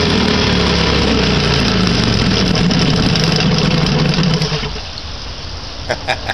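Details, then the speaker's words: 1959 Kiekhaefer Mercury Mark 6A two-cylinder outboard in a water tank, unserviced for 23+ years, first start in about three years on three-year-old gas. It burbles at a steady, even idle for several seconds, then cuts back; runs cleanly, just a little smoky. "nice very nice little smokey huh I'd call that a success even with three-year-old gasps"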